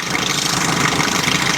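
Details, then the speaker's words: 1984 Chevy Citation salvage-auction car, after adding about 1.5-2 gallons of fuel and pouring some down the engine: loud steady idle, even rumble, no misses or knocks; engine running cleanly. "holy crap she's running yes yes yes"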